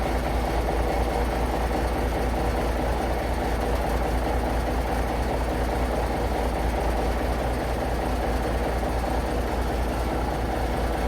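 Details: International Paystar diesel idling after the radiator rebuild with new gaskets; deep constant even rumble, no knocks or odd hisses, air building to about 70 lb, running beautifully, no leaks; normal diesel idle.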